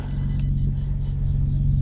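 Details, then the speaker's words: 2007 Infiniti G35 coupe, VQ V6, 194,000 miles, just started: deep, even rumble with a steady low pulse and no knocks or misses. Normal idle, sounds really good. "I hope the camera can pick that up, but it sounds good. It sounds really good."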